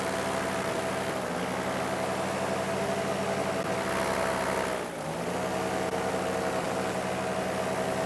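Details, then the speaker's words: Paramotor engine in flight just before a forced landing: steady drone dips sharply in pitch for about a second, then recovers; engine starting to cut out, not regaining RPM despite throttle pumping. "So coming up here, right here, you're going to hear the engine start to cut out."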